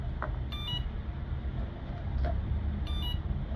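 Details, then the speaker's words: Electric bicycle whose motor does not spin, switched on: two short high beep bursts about two and a half seconds apart over a low hum; controller alarm flagging an error. "So you turn it on. everything turns on and you get the alarm sound when there's an error."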